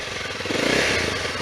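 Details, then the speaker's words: Used motorcycle in neutral, a couple of quick revs then shut off: crisp even firing climbing cleanly and settling back, no knocks or rattles; engine runs really well. "The engine sounds perfect. Then you kill it, turn the bike off. So the bike runs really well."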